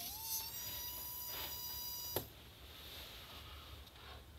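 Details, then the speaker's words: Servo opened up and rewired to reverse its drive motor and potentiometer, retested after fixing a short: a thin, high motor whine rises slightly, then holds steady about two seconds before cutting off; the servo now spins continuously. "Well, you can hear it's going. Oh, continuous server. Sweet."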